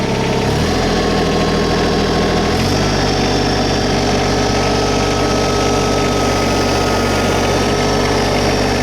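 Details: New 2022 LS MT125 tractor with about half an hour on it, diesel idling. Steady even clatter that settles slightly higher after a couple of seconds, no misses or knocks; healthy normal idle.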